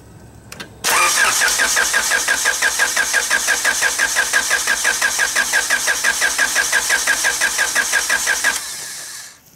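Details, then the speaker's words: Car engine cranked by starter with distributor cable disconnected, no spark, to prime oil after turbo kit install: steady cranking about three compression beats per second for eight seconds, never catching. "we're going to turn the engine over and I disconnected the distributor cable so we have no spark the car will not start without the distributor hooked up so we have no spark"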